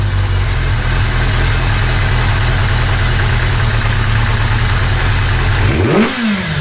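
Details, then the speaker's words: 1982 Kawasaki GPz550 four-cylinder after pilot jet replacement for a fast idle that hung at 4000 rpm: steady low burble at even idle, a throttle blip falls straight back; idle settled and normal. "I think I pilot valves I think it fixed it all I think we're in great shape now because of the changing of the pilot valve"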